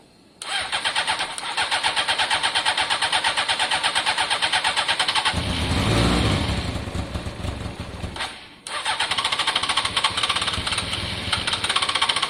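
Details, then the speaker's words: Honda CBR600 F4i, long-standing non-runner, fuel-injected: even starter cranking, then a few seconds of rough firing on spray that dies back to cranking; engine okay, fuel lines need clearing, fuel delivery fault suspected. "oh i think we know we've got an engine here that's okay but until we can clear out out all of the fuel lines and make sure fuel's flowing there really is nothing we can do you heard it start there on the spray alone"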